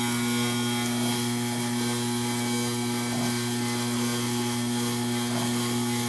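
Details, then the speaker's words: Modified Pro Cut variable-speed belt grinder turned down to sharpening speed: even steady motor hum at low speed, no knocking, slapping or grinding; running normally. "so this is a variable speed machine I started up give it a run and you can see what it sounds like I'll turn it down to sharpening speed"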